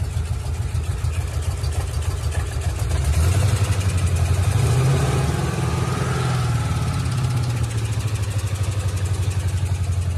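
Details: Ford Mustang GT 3-valve V8: lumpy, uneven idle with a loping stumble that persists through a short throttle blip. One cylinder is dead from a destroyed cam and rocker arm, with valve lash problems.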